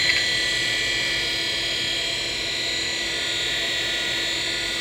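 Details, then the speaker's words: Amiga 2000 with 68040 accelerator: hard drive spinning after the power was cycled so it spins before the boot sequence initializes it. Steady high-pitched whine over a smooth airy hiss, no clicks or grinding; normal drive spin. "nice because maybe the microphone will pick up that spinning action pre-k"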